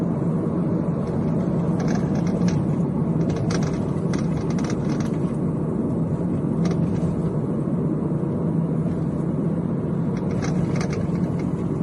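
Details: Toyota, Kia or Hyundai driven over unpaved or brick road: irregular sharp steering wheel clicks over road rumble.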